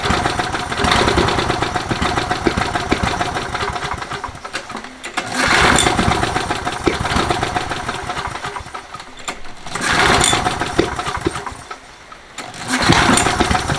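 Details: Toro 20789 mower with a Briggs & Stratton Intek engine that is hard to restart when hot: repeated cranking bursts, each ending in sharp backfire pops instead of a clean catch, even after the carb was reprimed 4-5 times; valve clearance to be checked next, cause unconfirmed.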